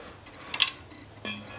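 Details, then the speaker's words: Carbide-tipped steel saw blade laid on four even shims, with tape mimicking a warp: light metallic taps, one a short dull clunk with a low ring where the warped blade rocks; a flat blade stays quiet all round. "But you get over to here, and you can hear that tapping, that little clunk. That would be the sound a warped blade would make sitting on even shims."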